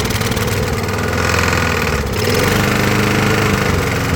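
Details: Briggs & Stratton push mower, about 20–25 years old, after new head gasket and carb gaskets: uneven, lumpy putter with occasional miss, not reaching full speed; improved over before the repair but still down on power.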